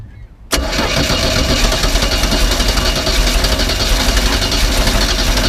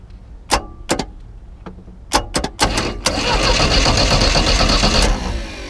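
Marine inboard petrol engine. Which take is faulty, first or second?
first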